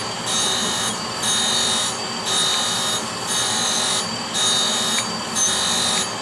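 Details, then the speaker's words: Brown and Sharpe 510 Micromaster surface grinder with Walker 5x10 permanent magnetic chuck grinding steel; hiss rises and falls about once a second with each table pass, no rumble or growl from spindle bearings, normal spindle running. "so i'm gonna go ahead and do a quick grind with this show you the finish of the part and you can hear the spindle bearings so"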